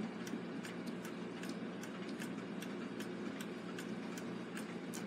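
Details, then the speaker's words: Gilbert long-drop octagon clock, rebuilt movement, time-side mainspring let down slowly in the case: soft regular clicks about twice a second as the spring chugs on visible dry spots, needing oil; synthetic oil applied afterwards. "These springs were pretty nice shapes. We've obviously got some dry spots."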